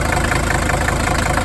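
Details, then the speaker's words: 1981 Mercedes W123 300CD diesel coupe, unstarted 4+ years: slightly rough idle with light regular tick, less noticeable than day before; owner suspects dirty injectors or fuel knock, unsure. "but it's not as noticeable anymore now. I don't know if you can hear it on the camera or not. And it could just be from dirty injectors or something. It could be a fuel knock."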